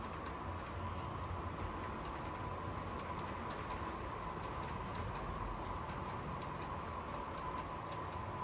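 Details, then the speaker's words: Dapol class 59 model loco hauling 13 JHA wagons at about 1/3 power: constant hum and whirr with fine high buzz near 1 kHz; noisy drivetrain under load, though coping well. "This is 13 wagons at around about 1/3 speed, so 1/3 of its power. As you can certainly hear, it's quite noisy."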